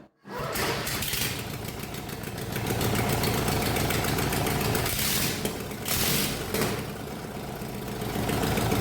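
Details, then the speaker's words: 1999 Murray lawn mower small twin, carburetor refitted but no exhaust or air filter yet: catches after a quiet start and settles into a steady, slightly uneven chug with no knocks. Normal running. "great. It runs."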